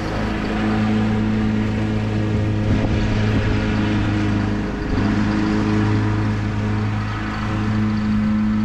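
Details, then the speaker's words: Husqvarna YTH21K42 ride-on mower after fitting a shorter 100-inch deck belt (old 101.4-inch belt kept falling off the pulley): steady, even engine drone, no slipping squeal or flapping; belt stays on, running cleanly. "so the M's working good a the blades are on good and tight and that belt hasn't come off once and I started to stop the blades a couple of times so with no issues so I think the shorter belt is the answer"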